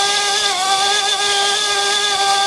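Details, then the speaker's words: Drone armed and held with slight throttle, then the transmitter switched off to simulate signal loss: a steady high motor whine holds and speeds up slightly despite drop failsafe being enabled; motors keep spinning, so failsafe fails. "okay the transmitter's off like we've lost signal now you hear it getting faster and faster see it's actually not slowing down it's actually speeding up a little"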